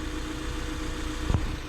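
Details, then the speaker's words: 1995 Honda Civic EG hatch, D15 engine, distributor just replaced for crank-no-start, warming toward operating temperature before setting timing: smooth even idle, steady low hum, idle just dropped a bit, no misses or ticks; normal idle. "I just heard it drop down a little bit more. Let's see where we're at. Look at that. It just dropped down"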